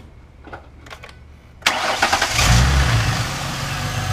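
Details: 2008 Ford Mustang coupe started after coolant refill and pipe refit in water leak repair: quiet, then catches right away and settles into steady, even idle, no misses or knocks; normal idle, no leak seen yet.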